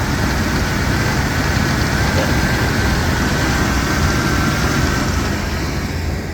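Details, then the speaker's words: 1988 OBS truck that sat about a year and a half, after fuel pump replacement with a new strainer, hose and clamps: steady low rumble at idle, even and unbroken, no misses, stumbles or ticking, a normal healthy idle. "this is what the truck sounds like when it has a good fuel pump in it it actually runs pretty good for it to be sitting for like a year and a half"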